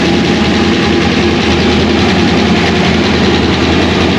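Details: 2001 Pontiac Trans Am WS6 with a roughly 500hp cammed LS1 on its first start since dyno break-in, still untuned on stock injectors and MAF: deep V8 idle with an uneven, loping chop from an aggressive cam, running steadily without misfires.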